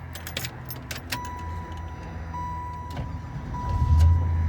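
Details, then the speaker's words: 1996 Chevrolet Impala SS with intermittent crank-no-start, after Optispark harness connector terminals were cleaned: keys and warning chime, then engine catches quickly into a firm rumble; normal first-try start. "oh yeah he starts right up so I like it I like it so good so far"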